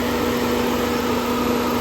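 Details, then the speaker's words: 1996 BMW 318i after replacing the power steering pump, belt tensioner and idler pulley: steady, even idle hum with no squeal, chirp or rattle from the belt area; normal idle, noises gone. "That concludes the video and uh yeah, no more noises. This baby is done and ready to rock."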